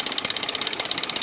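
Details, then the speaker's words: Dodge 4.7 engine at idle: fast steady metallic chatter, about a dozen ticks a second, riding over the idle, diagnosed as the timing chain rattling. "So what do you guys think of that noise? Yep, that's what it is. It's the timing chain that was in it rattling."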